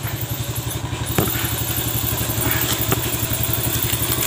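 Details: Yamaha Vega ZR after repair for a rough front-engine noise and white smoke, with new piston rings and replaced bearings: a steady, even single-cylinder putter at idle with no knocking or clatter. Normal idle.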